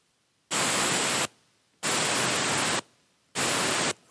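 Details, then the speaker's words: Mercedes 722.6 (Chrysler NAG1) transmission torque converter clutch solenoid, bench-tested off the car with an air line and a 9-volt battery: three clean air bursts that start and stop sharply; it opens and closes properly and is not stuck. "so you can hear the solenoid has the ability to turn on and off and pass air so we know the pencil is not stuck on this one"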